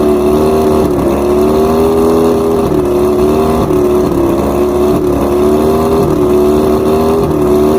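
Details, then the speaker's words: Outboard running with a loud drone that dips and stumbles every second or two. This is after both switch boxes and the plugs were replaced and all coils read 250. Number 5 spark plug, though new, is fouled again, causing the misfire. "Number 5 is toasted again. This was actually a new plug. All the other ones seem to be correct, but why is number 5 getting toasted? Look at that. It's bad. It's fouled."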